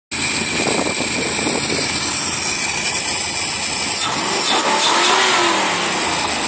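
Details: Marlin Roadster engine test after reconnecting a disconnected pipe that caused a whine: engine picks up cleanly on throttle and returns to a smooth, steady idle with no whine; normal running after repair.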